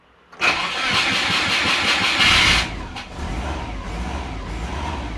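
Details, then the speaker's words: Subaru sleeper with aftermarket ECU, starting the day after the crank/cam wiring shield ground fix: the starter churns steadily for about two seconds before it catches with throttle and settles to a rough idle. Hard start; owner suspects transient throttle. "All right. Transient throttle is not helping with startup. All right, we got an idle now."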